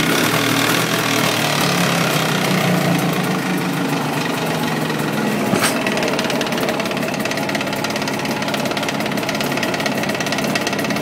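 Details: Jawa 638 two-stroke twin idling hot with a hard, fairly regular knock about three per second over the exhaust rattle; knock appears only when fully warm, first under load, fine cold, despite new cylinders, rings and pin bearings.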